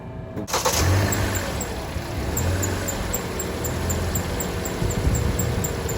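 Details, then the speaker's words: 2011–2016 Hyundai Elantra, first start after alternator replacement. The engine cranks and catches, then a faint, quick repeating high chirp rides over the idle. The serpentine belt squeaks slightly at startup, then settles; the alternator is confirmed charging. "alright, the belt squeaked a little bit, but okay now."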